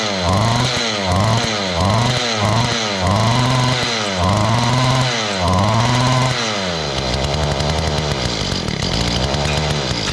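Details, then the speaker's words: Mantis tiller two-stroke that used to fire up and die, with old gas suspected. After priming, with choke on and throttle given, it surges up and sags about once a second and won't hold a low idle. It is suspected to be running rich, and the carburetor low- and high-speed screws get adjusted. "So it seems like it's running all right. It's just not idling at a low RPM. It seems like it might be too rich."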